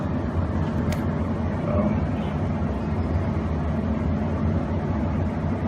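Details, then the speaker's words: Novice-repaired 5-10-year-old Goodman furnace that would not start (blackened fuse, loose orange cable found): even, steady low airy blower rumble with no knocks or squeal; fan running shows the control board works. Normal blower operation. "Okay, least I was able to get the fan on, so that tells me the control board is working"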